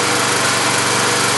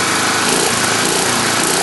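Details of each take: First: Tecumseh small engine warmed up in the yard, blow-by suspected through the carburetor: steady, even buzz at constant speed with no misses, knocks or surging; runs normally. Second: Tecumseh single-cylinder engine with the air cleaner cover off: a steady, buzzy high-revving drone with no misfire. The crankcase breather pumps gray sludge, oil and vapors, with some smoke puffing and Marvel Mystery Oil in the fuel. Possible blow-by is suspected.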